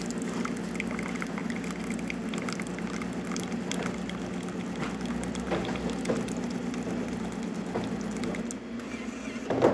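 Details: Jura espresso machine after pump replacement and a broken ceramic-valve microswitch replaced, dispensing hot water: steady low pump hum under an even trickle, no rattles or labouring; normal operation after repair.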